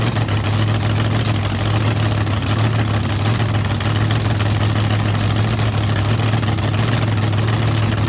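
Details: Blown V8 car running at night: deep, steady, even idle burble, no misses, knocks or ticks; healthy, no leaks, assembly lube melting off the hot head.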